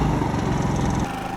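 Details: Generac IQ3500 generator on an RV camper, after an electric start on choke and then switched to run: small engine runs with a quick, even beat, then settles to a quieter, steady note before appliances are loaded. Running normally.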